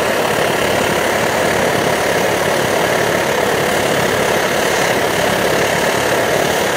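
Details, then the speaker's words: Optimus Hiker+ liquid-fuel stove burner at full flame, steady loud hissing roar with faint irregular sputtering crackle, which is normal for these burners. "You can adjust it to a full out roar that'll again heat up boiling a liter of water in about 3.5 minutes, or you can turn it down to a real nice low simmer."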